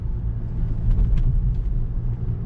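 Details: 2018 VW GTI SE driving over bumps after the owner bent the silver hook bracket on the parking brake lines: only a steady low road rumble, no squeak; rear suspension squeak resolved.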